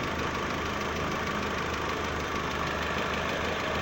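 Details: 2012 VW Saveiro 1.6 after replacing the gearbox bearing plate; it had growled at idle in neutral, stopping with clutch pressed. Now steady, even idle, smooth low hum, no gearbox growl in neutral; fixed and healthy.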